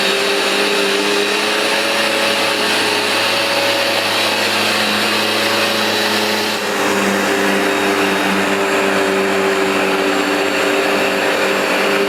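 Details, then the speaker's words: New replacement Vax Dual Power Total Home carpet washer on a very dirty new rug, producing lots of foam: steady suction-motor drone with dual brush-bar sweeping on top, shifting slightly midway; normal operation. "it really is efficient at beating and sweeping the carpet you can hear the noise it makes in addition to the sound of the suction motor the noise of the brushes really grooming the pile and getting deep down"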